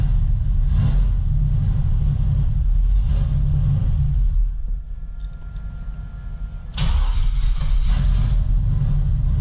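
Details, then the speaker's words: LS-swapped big-cam Camaro on first test drive after transmission rebuild, no gauges connected: loud lumpy V8 sags nearly to stalling, then surges back on throttle; won't hold idle without gas though it idled fine before, cause unknown, later okay with occasional revs. "god dammit I gotta keep my foot on the gas I don't know why before it would idle just fine"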